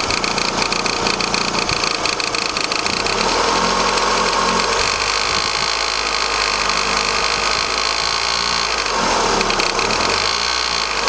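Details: Vauxhall Astra Mk4 1.6 16v petrol, 44k miles, idling with a fast busy tapping and buzzy vibration; cause unknown.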